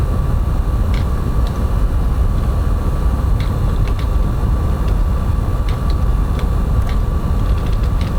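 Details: PS5 Pro running F1 24 in quality mode with ray tracing: steady, loud rushing blow with a faint constant high tone throughout, the cooling fan working hard under heavy load.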